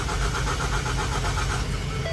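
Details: 2016 Ford Fusion after engine replacement that ran briefly then stalled: rhythmic starter cranking at about four to five pulses a second with no firing, crank no start, later traced by PicoScope to an electrical fault.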